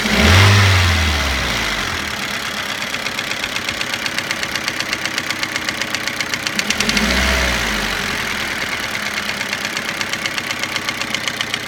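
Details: Toyota Avensis after cylinder resleeving, piston ring replacement and timing belt job: a sharp, regular ticking knock of about four per second at idle, rising with each rev blip. Internal engine knock after the rebuild.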